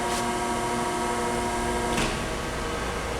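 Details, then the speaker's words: Chevalier FSG-1236AD 3-axis hydraulic surface grinder, spindle switched off and coasting down, heard up close with the hydraulic oil off: steady tones sliding gently lower, smooth and even, no knocks or rubbing; a healthy spindle run-down. "kind of listening to it up close widening down but it sounds nice"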